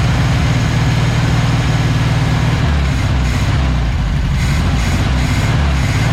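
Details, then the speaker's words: 1976 Volkswagen Beetle with '40 Ford kit, sat for years, running from the carburetor after the fuel pump stopped sucking air; low, steady thrumming idle with even rhythm, no misses or stumbles, normal idle. "he's got to be running from the carburetor now look at there good lord what a volkswagen with four tail wipes"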